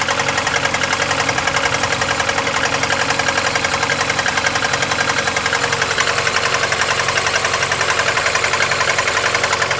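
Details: VAZ 21099 at cold idle: regular tapping knock about three to four per second over the engine hum; began faint at idle, grew louder after 50 km, then unchanged, driven about 350 km; cause not identified.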